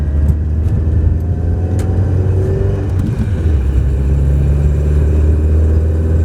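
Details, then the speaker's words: Chrysler Alpine after full engine rebuild, bedded in for 500 miles at up to 50 mph; on a drive, deep even exhaust drone builds cleanly with revs, no knocks or misses; owner notes an unidentified exhaust rattle at the front, possibly a front baffle. "Just listen to that. Oh, it's just a fantastic sounding car."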